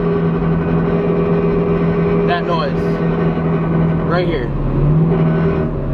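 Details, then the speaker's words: Car warmed up on a 41° day, cruising with no load on the transmission: steady low drone over road noise, getting louder with more driving; rear end suspected, not confirmed. "And then when there's no load on like the trans just like right here it's humming cruise"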